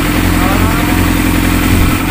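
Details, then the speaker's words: Yamaha YZF600 idling steady and even after air/fuel mixture adjustment; number three cylinder had been misfiring from a lean, too-much-air mixture, fixed by richening slightly. Normal idle after repair. "ngayon okay na. Kanina palyado ang number three ah in-adjust lang ng hangin kasi yung hangin medyo mas lamang ang hangin kaysa gas."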